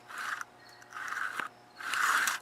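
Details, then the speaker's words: Stihl MS180C chainsaw Easy2Start recoil starter after pull cord replacement, off the saw: three pulls, each a dry ratcheting rasp as the pawls snap out and return cleanly; recoil working properly. "and when you pull on the cord again you want to make sure that the paws come out like this"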